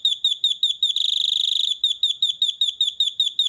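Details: Beeper circuit board, from a board blown by 220V instead of 12V: clean high chirps about four per second, briefly speeding into a rapid trill, then steady again. Beeper working normally.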